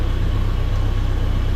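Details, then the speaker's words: 1980 Ford Courier barn-find truck after new battery cables, spark plug wires and fuel pressure regulator, just started after sitting and warming up: steady, even low rumble with regular firing and no knocking or ticking; normal idle. "So seemingly should be good. We'll let it warm up for a minute, kind of see what it does. Obviously it runs."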